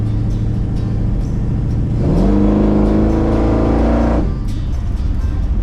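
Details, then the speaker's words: 1969 C10 with Blueprint big-block 540 V8 and Holley 4150 carburettor: revs rise unevenly and sag as throttle opens, lean spot on primary-to-secondary transition mid power band, popping, sputtering, AFR 16–17; owner found this wasn't the right carb. "it would not transition from the primary to the secondary without having a major lean spot right in the middle of the power band and that scared me"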